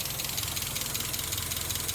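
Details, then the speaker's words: NA Miata after refitting camshafts with cam gears torqued to 41 ft-lb and threadlocker, and reseating the intake charge tube on the mass airflow sensor (which had caused stalling at idle); taps like a diesel, otherwise purrs, steady even idle with light regular tick; normal idle. "taps like a diesel and otherwise prayers like a kitten"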